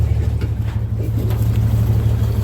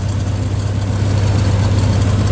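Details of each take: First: 1962 Dodge M37 truck revived after sitting about 45 years, idling with a low, slightly uneven beat and occasional dropped stroke; mild miss blamed on regular spark plugs and cut-off plug wire ends instead of the correct tube-top plugs. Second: 1962 Dodge M37 flathead after sitting about 45 years, on a temporary fuel feed with the accelerator pump likely not working, idle screw turned down: low, steady, soft rumble with no knocks or misses; normal idle.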